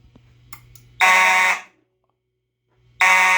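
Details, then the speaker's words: EST Genesis horn on an EST/Edwards IO-64 fire alarm panel, run on replacement backup batteries with AC cut: two clean, steady half-second horn blasts with even buzzing tone, sounding much cleaner than before; normal horn sound. "oh yeah that sounds a lot better that sounds so much better that sounded a lot better"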